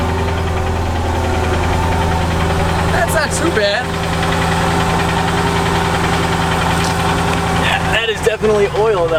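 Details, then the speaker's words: Mercedes ML55 AMG after sitting, cold start with the C55's battery fitted: steady idle with a faint light knock underneath and heavy smoke on revving. Possible piston ring issues are suspected; the cause of the knock is unclear. "but let's listen to this engine it's got a kind of a little knock going on all right guys here you go engine knock"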